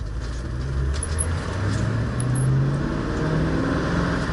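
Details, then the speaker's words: 1966 Ford Mustang on road test after fixing an exhaust rattle underneath: steady engine drone and road noise while cruising, no metallic buzz or clatter from underneath; exhaust rattle gone, normal exhaust. "one thing that is gone is the rattle on the exhaust system underneath I have not heard it"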